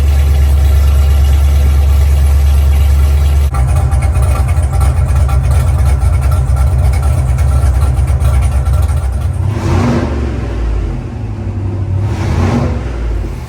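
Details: Fuel-injected big-block 1970 Nova, first start after conversion: it fires right up but idles and revs unevenly, stumbling as throttle comes in. It has a lean spot, suspected to be a vacuum leak.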